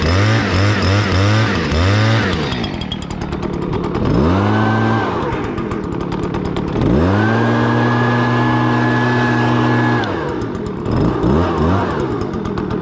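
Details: Stihl BR200 blower: it catches after a couple of pulls, revs cleanly and holds an even buzz between blips. Normal running.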